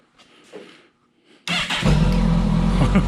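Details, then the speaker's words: 2011 Kawasaki ZG1400 police motorcycle, wrecked and being rebuilt, started in neutral for the first time. It catches at once and runs strong and even with clean revs, nothing leaking. Normal start and rev. "there's nothing leaking healthy so excited yes have no idea"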